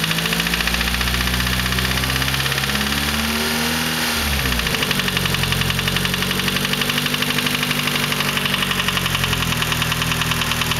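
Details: SR20DET engine at cold idle with a steady, rapid ticking knock; the knock occurs only when cold and disappears above about 3500 rpm, and persists despite replaced lifters and timing chain tensioner; cause unknown.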